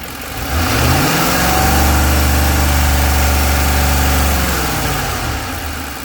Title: knocking sound from 2010 f150